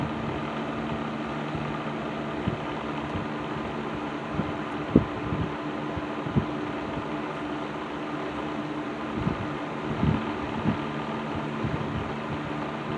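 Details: Serviced Patton 12-inch box fan with black Patton-branded Fasco motor, running on low speed in a window: steady even motor hum with odd light rattle tick; still a little rattly but far better than before servicing, runs normally.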